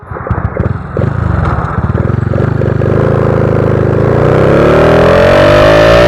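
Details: Honda Wave 125i fuel-injected motorcycle on the road after its fuel injector was replaced to cure a rich-fuel stumble when twisting the throttle: firing pulses climb smoothly and evenly with throttle, no stumble or misfire. Normal acceleration.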